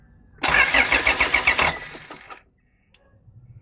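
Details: 2008 Toyota Fortuner, shop blamed pressure pump; no fuel from pump, actually thin, pinched suction control valve O-rings: starter cranks in quick even pulses about four a second, stops without catching; crank no start.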